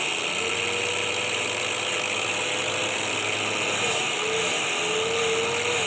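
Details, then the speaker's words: Motor rated 7000 rpm run from a 12-24 V 30 A LED strip dimmer at minimum setting: thin high-pitched whine from the windings over motor hum, gone at higher speed; PWM whine. "Nhưng có tiếng rít và cuộn dây của chúng ta đang rít."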